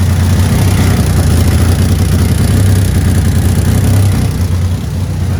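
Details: 2000 Ford Ranger 3.0L V6 after rebuild, running again after fuel filter replacement: low uneven lumpy wavering idle that never settles; running rough, cause not pinned down, fuel suspected, not confirmed.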